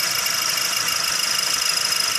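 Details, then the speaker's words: 2008 Chrysler PT Cruiser at idle: a high, fast metallic rattle with a popping edge from the front of the engine, blamed on the engine mount but suspected to be timing components. It levels out at highway speeds and was fixed with a timing kit. "I always suspect that it's something in here in the timing I mean it'll make this noise"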